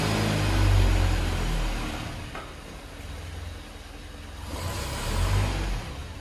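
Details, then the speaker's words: Land Rover Series 3 on its first start after PCV valve installation, cold and warming on choke: low rumble surging and sagging about four times a second, idle not settling, an unusual start; cause unclear, and it later hesitates on throttle. "Well, that was weird. That is weird. It's never started like that before."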